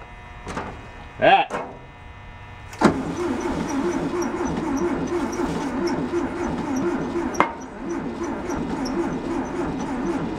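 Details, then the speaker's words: Type 2 VW bus that sat 31 years in a field, cranked with starting fluid and only weak spark; one valve is suspected stuck open: steady rhythmic starter churning for several seconds with no cylinder firing, so it cranks but won't start. "no booms on any of the cylinders."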